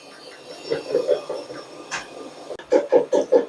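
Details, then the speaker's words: Linea washing machine in spin: rhythmic clanking knocks, two or three a second, rising as drum speeds up; loose drum counterweight stone, which came off. "Şimdi tekrardan sıkmaya geçti bakın sese çok zangır zangır zangır çalışmış biraz da yükselecek"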